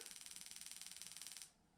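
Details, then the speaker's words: Honda J35 on Microsquirt, TunerStudio coil test mode, coil B (cylinder 3), before first start: crisp even high-pitched spark ticking about sixteen per second, stopping cleanly; coil firing perfectly. "and that's going to be coil b and we're going to do the same thing hear that that's firing perfect"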